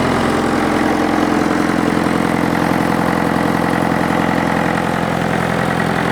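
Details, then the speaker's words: International tractor diesel engine first started after years sitting outdoors, air filter cover off so induction noise is audible, very long exhaust pipe fitted: even clatter at steady idle with open intake rush, running clean without misses. "it's just magnificent it sounds great I've got the cover off the air Fielder so you can hear a bit of induction noise"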